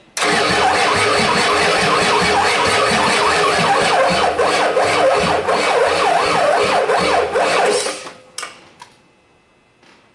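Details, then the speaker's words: 1989 Ford 7.3 IDI non-turbo diesel: starter drags the engine slowly, about three turns a second for eight seconds, never firing; starter good, batteries lack cold cranking power and need replacing. "starter was good yeah its these batteries yeah not enough coal crank nope replace everything"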